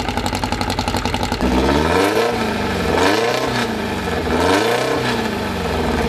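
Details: First run of a newly assembled 2054 engine (Fusca), idle at 1200 rpm kept high so parts seat in: even idle beat, then repeated blips with smooth, clean pickup; normal break-in.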